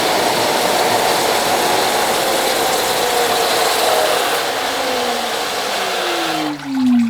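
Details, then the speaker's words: Off-grid micro hydro four-nozzle Turgo turbine with Motenergy alternator, first spin-up on smallest manual nozzle: steady rushing water and smooth rising whir, no knocks or rubbing; works well, though nozzle seems too small. "Excellent, it's working an absolute treat."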